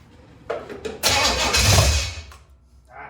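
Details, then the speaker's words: Chevy 283 V8 in a 1974 Chevy Nova, first start in 50 years after timing correction, on a borrowed battery: brief cranking, then the engine fires and roars up loudly before settling; engine starts and runs. "that's what i like thank you [Music] dave can't leave us guys because then we got his battery our battery in the mustang was shot so he went got his fire this thing up man heck yeah it sounds so good"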